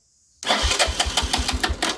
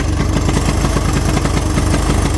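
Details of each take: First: 1983 Honda 200E three-wheeler with newly installed battery, cranking before fuel added: brisk, even cranking about six compression pulses a second, no grinding or drag; battery and starter working well. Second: 1983 Honda 200E three-wheeler single-cylinder engine, first run after revival: loud, uneven, stumbling idle with no steady rhythm; the carburetor won't run right.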